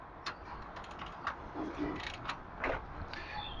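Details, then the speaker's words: 2011 Citroen C3 after timing belt failure, no compression on any cylinder; engine turned by hand anticlockwise gives soft creaks and dull bumps where it locks, something protruding into piston tops, likely valves hitting pistons. "it locks up at that point, and you can hear it bump. It's bumping against something clearly that's protruding into the tops of the pistons."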